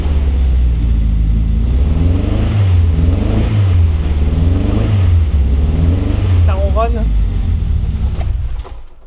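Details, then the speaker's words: Peugeot 205, 700 kg, big turbo, engine built from seven engines, just started: lumpy revving with exhaust pops, seems to run on three cylinders; owner unsure if the exhaust is still full of ethanol or oil after heavy smoke; idle needs revisiting. "Il y a des P à l'échappement. Elle tourne bizarre, hein. Il y a des P à l'échappement, c'est chelou. Elle gratte, il y a un truc qui va pas."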